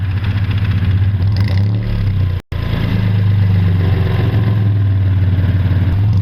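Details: 1951 Studebaker Champion, engine revamped with owner-built headers and complete dual exhaust: deep steady exhaust burble at idle, even firing beat, no misses or knocks. Normal idle.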